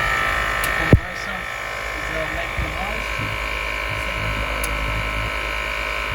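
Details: Mercedes GL450 W164 Airmatic with a newly fitted replacement compressor (A1643200304) after the old one would not start, engine idling: steady electric buzz running smoothly. Normal air suspension compressor operation.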